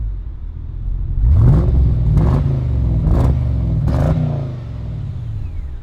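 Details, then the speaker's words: Holden VE Commodore SS V8 with about 240,000 km, free-revved at an auction inspection: a deep rumble with four clean rev blips that rise and fall smoothly, with no knock or miss; the engine sounds healthy. "that sounds awesome i want a v8 but i want one that isn't a turd"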